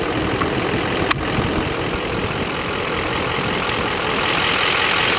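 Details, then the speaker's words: 2015 Chevy Silverado 3500HD Duramax LML diesel, 118k miles, after failed CP4 replaced with CP3 conversion and fuel system components cleaned or replaced: steady even diesel clatter, no misses or knocks, started perfectly, no codes; healthy. "but thing sounds good started up perfect this morning no codes have came back or no codes have actually even populated need to give a little but she screams you know"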